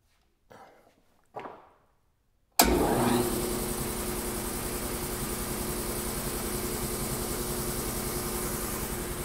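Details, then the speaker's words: New Polar Air Industrial Plus 7.5 HP compressor (Eaton), 120-gallon tank, first run after installation: loud steady pumping drone, fittings tight, no blow-out, already at 60–65 PSI shortly after starting; runs healthy building pressure. "I think it's working. It's already at like 60 or 65 PSI. It hasn't been on very long."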